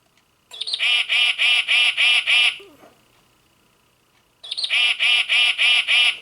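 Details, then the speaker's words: Singing bird clock after resoldering loose speaker joint and replacing movement: two bright, even runs of chirps, about three per second, no buzz or crackle; no longer distorted. "I think that sounds better in person. I don't know if the c if the speaker on that camera is going to pick it up, but it doesn't sound distorted. Not nearly as bad."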